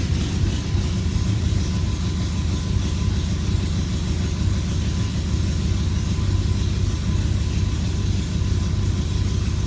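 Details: BMW E92 M3 V8, throws multiple-misfire codes and pops badly on cold start; deep idle, uneven and lumpy with a stumbling beat, rough idle from misfires.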